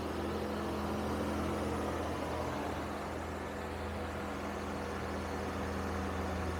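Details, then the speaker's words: Engine idling high at about 2500 rpm on a cold day with a steady fast-idle hum that never settles. A/C hoses are disconnected but the compressor is still belt-driven. Pinching a hose made no difference. Cause unconfirmed; a blown head gasket is suspected, with smoky exhaust. "2500 that's actually not terrible for a cold day"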